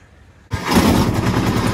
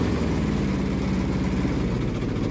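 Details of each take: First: Kubota T1600 two-cylinder diesel mower, 573 hours, before deck rebuild, deck reported squealing with slop: deck engaged, harsh rapid clattering grind pulses over the diesel; shot spindle bearings, owner also suspects the gearbox. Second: Kubota T1600 diesel lawn mower with small two-cylinder engine, after deck rebuild, blade touch-up and spindle greasing; smooth, even beat with a steady deck hum and no grinding or bearing noise; normal running.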